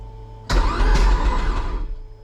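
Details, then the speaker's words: Toyota MR-S fresh 1.8 20V turbo swap engine, no spark plugs, in neutral, first starter test: sharp bang as starter engages, then deep even spin-over about 1.5 seconds; owner heard a funny bang, cause unknown. "see if it spins over I heard a funny bang then"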